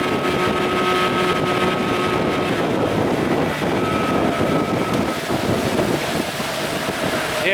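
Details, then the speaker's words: 1989 Evinrude 25 hp longshaft remote two-stroke outboard after a carburetor swap, wide open on a windy lake: steady, even drone under wind buffeting with no stumbling or surging; it runs fine, though the canopy may be holding the boat back. "well we're not going very fast but we're going that's wide open right there I think canopy's holding us back"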